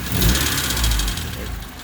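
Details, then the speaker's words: 1990 Honda Civic Si with a swapped D16Y8, first start: uneven lumpy idle that sags and stumbles after a brief surge; check engine code 9; owner suspects distributor or cylinder 1 position sensor, unconfirmed. "But yeah, it just idles really like shit right now."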